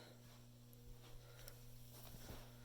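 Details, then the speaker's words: Low pressure sodium and high pressure sodium lamps warming up on magnetic ballasts: low, steady mains-rate hum with a faint buzz on top, level unchanged; normal magnetic ballast hum. "As you can hear, they both buzz from the magnetic ballast."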